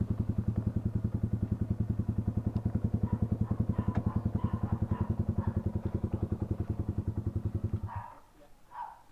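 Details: Toyota Wigo petrol engine idling with a heavy, lumpy chuff about three to four times a second before shutting off: an engine misfire, repaired by replacing the ignition coil.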